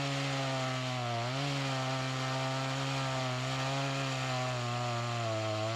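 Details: Echo CS-352 chainsaw that starts and dies, before repair, cutting wood: steady buzzing note, then the pitch sags about a second in as it labours; fuel starvation despite the carburetor screws set to max, with the fuel line or carburetor suspected.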